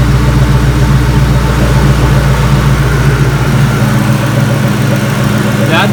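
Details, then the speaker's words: Ford Mustang idling with the AC pressure switch jumped by a wire: the engine note dips and settles as the AC compressor clutch engages. This is a normal idle change under compressor load. "listen to the engine volume change when the ac compressor kicks on here you can hear the idle change here hear that"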